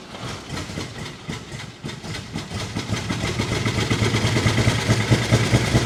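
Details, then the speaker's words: 1949 Chevy Fleetline Deluxe inline-six, revived after sitting many years; after freeing stuck lifters and bent pushrods, side cover off, carburetor leaky, it runs with a low uneven loping idle, seemingly firing on all six yet rough and missing at low rpm. "it's definitely hitting all six now would you agree Dave yeah I mean it's rough but all six might be there"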